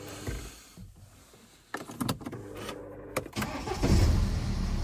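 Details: BMW E87 diesel that had a crank-no-start fault (codes 4680/41AA/4AFB) from a shorted sensor on the 5 V supply. With the sensor unplugged: clicks and a brief crank, then it catches near the end and settles into a steady rumble; it starts normally.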